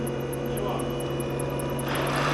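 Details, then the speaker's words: Renault Zoe second generation, air-cooled traction motor heard while spinning it up: steady hum with a thin constant whine that grows louder with speed, noise located at the motor; motor bearing noise, bearings to be replaced. "Здесь у нас мотор с воздушным охлаждением. И будем снимать его, разбирать, менять подшипники."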